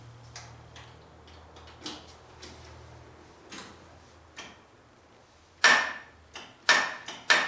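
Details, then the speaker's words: John Deere 1050 tractor on a cold day, starting after fitting a gutted hydraulic filter: several sharp irregular clicks with no cranking; starter clicks but won't turn over, owner suspects worn starter brushes. "hear that that's the starter telling me good luck but I have a lucky charm"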